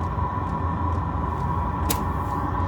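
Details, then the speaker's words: Diesel heater set to top temperature 35 °C at full speed; steady fan hum, constant mid-pitched tone and faint pump ticks about twice a second as the pump kicks up and the second heat bar comes in; normal running. "You hear the pump kicking up, second degree coming in, second bar coming in. When it gets hot, you'll notice the difference."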